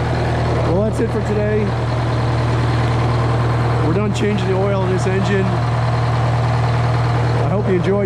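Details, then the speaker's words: GM 4-71 supercharged two-stroke diesel, about 160 HP, roughly 50-60 years old, driving a Frick sawmill, idling just after a secondary fuel filter change. Deep, steady drone at an even pace, no knocks, misses or surging; idles cleanly and healthy. "here you go two cycle engine super [Music] charged you got to love it just love the sound of that thing oh my God"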